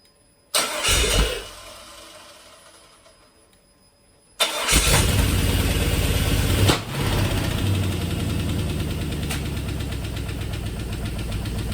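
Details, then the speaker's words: 2002 GM 5.3 V8 on an engine stand with aftermarket eBay harness, first start: brief catch and stall, then a sharp backfire pop amid lumpy idle, zero oil pressure; some injector adapters found not fully seated. "SC scared the crap out of me when that thing popped like that uh didn't sound good"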